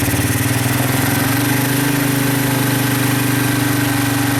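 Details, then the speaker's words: Honda 200SX field find on carburetor with pressurized external gas tank, choke adjusted, in neutral, rear wheels up: even steady single-cylinder idle, smooth unbroken beat, no misses or knocks; normal healthy idle, sounds really good. "but yeah really really sounds good very good so that's a good end of a day"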